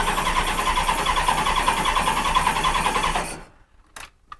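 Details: 1986 Honda Goldwing GL1200: starter cranks evenly about three seconds without catching, then a couple of sharp pops. No spark on some cylinders; backfires.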